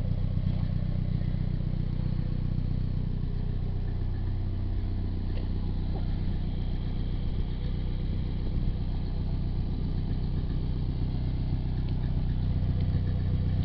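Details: Nissan 240SX, stock engine, 160,000 miles, steady idle with a light regular clatter about four ticks a second; owner unsure whether timing chain is hitting the guide or it's water pump noise.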